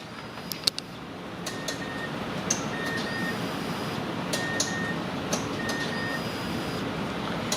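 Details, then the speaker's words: Mazda CX-7 with crank-no-start, heard from under the vehicle as the key cycles on and off: four short faint buzzing hums over steady hiss, the fuel pump priming normally; fuel injector relay suspected next. "Okay, that pump is working, so we turn the key off, pull it out, and I'll show you guys what we need to check now, which relay, and we'll explain what else it could be."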